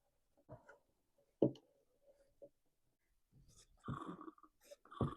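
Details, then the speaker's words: Stihl BR350 backpack blower that won't run well or rev up, blamed on ethanol/water damage. After reassembly, releasing the purge bulb gives soft irregular wet gurgles: air passing back through a carburetor nozzle valve that is not sealing. "When I release the purge bulb, there's fuel coming up the fuel line into the carburetor. The nozzle valve in that curb should be sealed closed. It's not sealed. And that's the air you're hearing when I do this."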